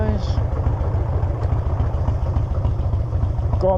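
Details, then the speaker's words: Harley V-twin just after an air filter change: low, loping potato-potato idle with no miss or stumble. It idles and runs better, with more responsive throttle. "bikes that sound so much better it's idling better just running better"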